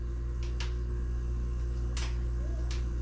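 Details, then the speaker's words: Free used refrigerator's freezer fan after being taken out, reassembled and reinstalled; previously vibrating and noisy, now a low even hum with faint clicks, no scraping or rattle; runs significantly quieter, fridge cold. "It is working. Okay. Well. Actually, it's significantly quieter, isn't it?"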